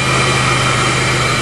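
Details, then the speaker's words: 1998 Chevrolet Lumina LTZ, 3.8 Buick Series II engine, sat about 18 months (last on road October 2007), cold start: fires first try without throttle and settles into a smooth, even idle with no knocks or smoke; normal idle. "motor sounds perfect wow no smoke good exhaust well you'd never know sounds like she was just running five minutes ago"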